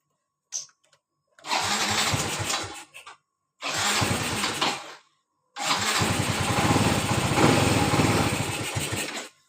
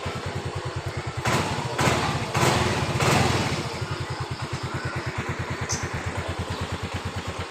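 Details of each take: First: Yamaha Mio Z 125 scooter that won't hold idle and dies at low throttle; engine catches in three short bursts then dies each time, idle air passage found very black, dirty throttle body to be cleaned, engine stalls at idle. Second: Yamaha Mio Z (Mio M3 125) scooter after throttle body cleaning fixed stalling at low throttle and over speed bumps: steady, even idle with a few throttle blips, holding speed without dipping or dying; air setting may still need fine-tuning.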